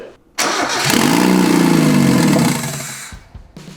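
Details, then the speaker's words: Mazda Miata NA 1.6 with newly installed turbo kit and MegaSquirt ECU not yet tuned: engine catches, stumbles unevenly about two seconds, then sags and dies; owners suspect untuned intake/ECU, unconfirmed. "it's fun yeah it's f it just doesn't know how to run yet"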